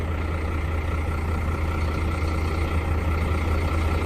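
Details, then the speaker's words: Diesel truck parked 4 days in hot sun in Goa, would not self-start, jump-started from another truck's battery within seconds: deep steady diesel rumble at idle, even beat, no stumbling or knocking; idling normally. "ಸೆಕೆಂಡಲ್ಲಿ ಗಾಡಿನೂ short ಆಯಿತು."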